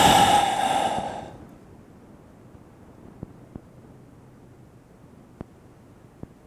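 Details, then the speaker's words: Large-diaphragm condenser microphone with a failing capsule: a breathy blast, then quiet hiss with sharp isolated pops (about four in five seconds). Steam moisture collecting on the diaphragm makes it crackle; heard before the capsule is replaced. "because when you're using a microphone it is not unheard of for there to be some issue and sub Steam and it to collect onto the diaphragm"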